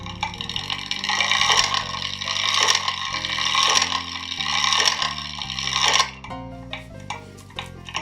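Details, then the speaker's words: Early-1900s American Seth Thomas kitchen clock on the test stand before teardown; advanced five minutes, it strikes five o'clock with five clear, evenly spaced bell strikes and faint gear whir between; the striking train, count lever and fly work properly. "we'll advance it another five minutes it should strike five o'clock"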